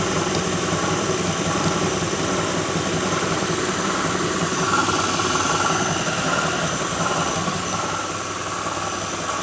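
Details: 2006 Lincoln Town Car, just started cold: steady idle with faint whir and light, uneven rattle at the engine front; owner names a bad harmonic balancer, earlier coil pack, plug, pulley, alternator, belt and cam sensor changes didn't help.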